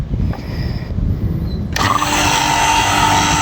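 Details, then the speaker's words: Split AC installation commissioning: vacuum pump starts midway into a steady, even buzzing hum of constant pitch with no knocking, evacuating air from the system, expected to take 10–15 minutes; running normally. "अभी जो vacuum start हो गया है, अब ये 10 to 15 minute लगेगा इसको vacuum होने के लिए।"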